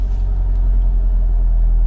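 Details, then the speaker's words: Honda Civic Del Sol, after a long-dead battery, in drive: steady low rumble held at a raised idle around 1,500 rpm. High idle; owner suspects the computer is relearning after the dead battery. "Still idling a little higher than it should be. Yeah, back to 1,500 RPMs again."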